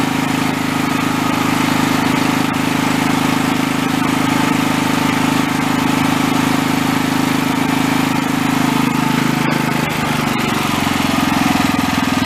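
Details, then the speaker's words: Small engine (shares NGK plug with an 8 hp Honda) at high idle after a new NGK spark plug; the earlier miss persisted after the carb work. Now a steady, even drone with no stumbles or skips; the owner believes it was running lean (old plug hot and glazed). "I say we solved the problem. I swear it was running lean."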